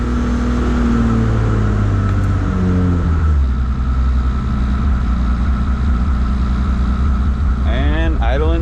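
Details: 3.4 stroker 2JZ in a JZX100 on third start after assembly, E-throttle table readjusted from too-high idle: revs settle into an even, steady idle with no hunting or knocking; the six sounds healthy.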